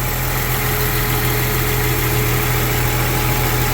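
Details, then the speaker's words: Rebuilt 1999 Jeep Cherokee engine about 10 minutes into break-in, coolant topped off, no leaks. Steady, quiet, even idle with no knocks or ticks. It has good oil pressure and now shows crankcase vacuum, meaning no blow-by. Running well. "Still running really good. No leaks that I could see, which is great. Just topped it off again with coolant here. Nothing sounds crazy. It's got very quiet actually."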